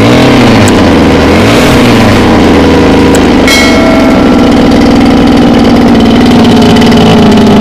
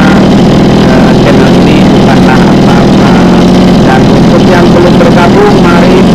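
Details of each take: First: Mini water pump with small two-stroke petrol engine on mixed fuel, hard to start; once running it races loud and high with a fast steady buzz and cannot be throttled down to idle. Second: Mini water-pump engine, two-stroke on premixed gasoline, holds a steady, even buzz at constant speed with no misses or surging after repair; it had been hard-starting and racing from fuel starvation.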